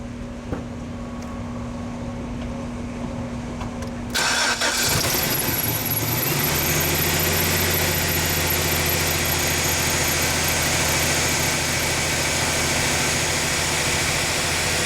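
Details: GMC 4.3L V6 pickup that quit after a banging noise, after reinstalling distributor on its mark with new cap: engine catches cleanly after short crank, steady even idle, no misses or knocks; normal start and idle.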